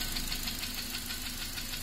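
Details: Honda Accord 7 with a K20A engine. Quick, regular metallic tapping over the running engine; a knock that appeared after oil starvation, located on cylinder two in the upper part of the block.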